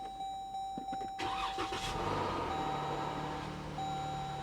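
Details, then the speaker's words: Likely 2014 Dodge Durango with 8-speed transmission at a Copart auction, nearly out of fuel, oil change due: quick crank, catches cleanly within a second and settles into a steady, even idle. Normal start. "oh she sounds good"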